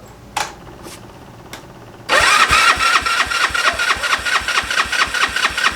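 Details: GY6 engine with a 171cc big bore kit, newly installed in a Honda Ruckus, cranked on choke at first start: a few clicks, then the starter spins at about two whirs per second and never catches. No spark, caused by stator signal and power wires to the CDI being reversed.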